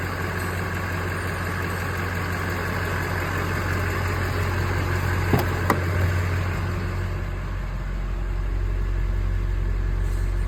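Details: Stolen vehicle, previously crank-no-start, fixed by replacing missing ECM fuse: deep steady diesel rumble at even low idle, no misses or knocks; runs normally.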